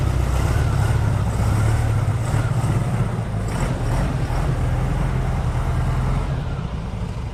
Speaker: gopro's firing up we're going to do a cold start on this motor